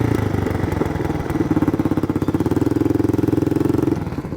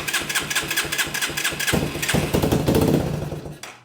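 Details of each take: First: Yamaha 225DX three-wheeler, factory carburetor repaired after an aftermarket carb failed; fires up, idles without choke, ridden through first to fourth gear. Single-cylinder thump pulling cleanly, dipping and recovering with each shift, settling to steady idle; normal running. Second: Yamaha 225DX three-wheeler with repaired original factory carb (seller had fitted an aftermarket carb and never got it running): steady cranking, then a short ragged burst on starting fluid that dies; fires briefly but won't run, fuel delivery fault.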